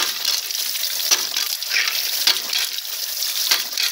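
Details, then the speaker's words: Ram pump with adjustable spatula-spring waste valve, more weight put on the valve: rushing, splashing water with a sharp valve clack about every 1.2 seconds; slow cycle gives bigger water hammer, more wastewater and more water output. "hear how slow that is you got a bigger water hammer more wastewater and more water output"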